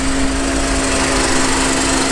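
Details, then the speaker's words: 1991 Mercedes 300E with about 200k miles, first run after being a non-runner: steady, even idle with a constant tone and no misses or knocks; normal idle. "dude I can't believe it's running right now"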